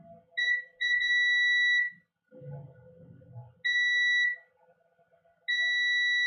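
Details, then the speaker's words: Garage door opener control board, multimeter in diode mode with the red probe on ground: a steady high beep on capacitors near the suspected shorted main chip. Each capacitor is shorted to a different chip pin; the chip is to be removed. "And look at these caps below it. I'm going to use diode mode so you can hear the shorts."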